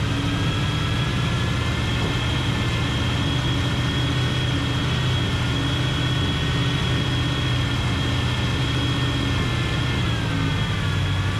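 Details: Big-block 454 Chevy, off the road since 1998, running in the donor truck as a replacement for a 72 C10 engine: steady, even low idle with no knocks or ticks. Oil pressure about 30 at idle, no weird noises, sounds good.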